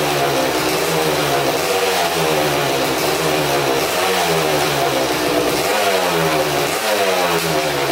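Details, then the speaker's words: 2000 Suzuki RM250 two-stroke (249cc), unrun two years, fresh premix fuel, cleaned carb, good compression: very loud raspy revving up and down with harsh crackle; big split in the expansion chamber leaking exhaust, basically straight-piped, needs welding. "all right she runs pretty good really really loud though and look what i found big split in the pipe right there"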